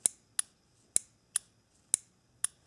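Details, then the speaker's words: 1997 Nissan Maxima MAP/BARO switch solenoid valve (code P1105) bench-tested by applying power to terminal 2: six crisp, solid clicks about half a second apart, confirming the switch works; no click means a bad switch. "this is what you want to hear this verifies let me just remove this this verifies that this switch is working correctly"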